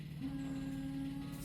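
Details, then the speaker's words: Ecto-1 Ghostbusters car, key on with engine off: quiet, steady low hum of even pitch; electric fuel pump running normally. "You can hear I've got the fuel pump going because I've got the key on, so..."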